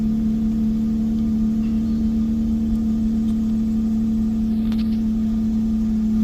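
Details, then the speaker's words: 2008 Hyundai Tiburon SE 2.7L V6 first start after spark plug and coil pack replacement plus grounding fixes, battery reconnected: smooth, even idle with a steady low hum, no misses, knocks or ticks, a healthy start; dash warning lights remain afterward. "Well, that sounds like a pretty healthy start if you ask me."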